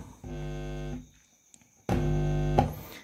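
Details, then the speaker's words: Sony active speaker with no sound but indicator light on: two short bursts of loud low buzzing hum when the output stage (final) input is touched; that channel's output stage still works. "oke bunyi ya Oke berarti finalnya masih dalam keadaan baik-baik saja"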